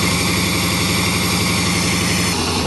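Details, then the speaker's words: 1987 Chevrolet truck, first run without an air cleaner, before antifreeze is added: loud, rough idle with a shaky, uneven low pulse and the engine shaking, definitely misfiring. "t feel like it'll keep running here we're going to try it it's running on its own sounds like it's misfiring yeah it's definitely misfiring way that motor shaking"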